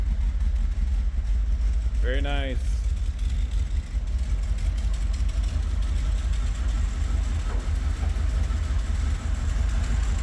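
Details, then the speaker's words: 1982 Pontiac Trans Am Crossfire Injection, abandoned 30 years, start after new fuel pump and replaced fuel lines: low, uneven idle whose beat wavers; better than with excess fuel pressure, owner suspects a remaining vacuum leak. "Here we go. Little rough. Probably vacuum leak still. Nonetheless, it's quite better than what it was with too much fuel pressure."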